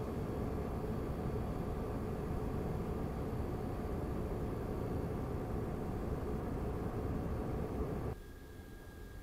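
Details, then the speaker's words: Razer Core X Thunderbolt 3 eGPU enclosure with an AMD RX 5700 XT, microphone at a fixed distance. The stock fan gives a loud steady air roar at 100% Unigine Heaven load, then drops to a quieter hiss. Part of the before/after test of a Noctua NF-A12x25 fan swap. "but as soon as you turn along you will notice that it's not ideally silent I don't have any other a GPU to compare right now but I have my 12 core Mac Pro it is almost silent on the road and this a GPU makes definitely more noise"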